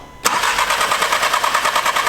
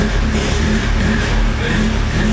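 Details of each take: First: Audi S3 after straight-pipe/exhaust and cooling work with fuel lines disconnected and reconnected: starter cranks in an even fast chug but the engine never fires; crank-no-start, suspected unplugged fuel line or return. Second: Audi S3 (EA888) with a Stone valvetronic catback exhaust, reassembled after coolant work with the throttle body plugged in: loud, deep exhaust rumble catches and holds steady with a few throttle blips. It runs cleanly; whether the coolant holds is still unknown.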